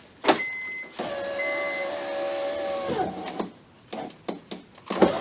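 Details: 2004 Honda Accord coupe, after replacing the failed driver window regulator and motor: smooth steady motor whir for about two seconds with even tone, then clean stop; window working normally.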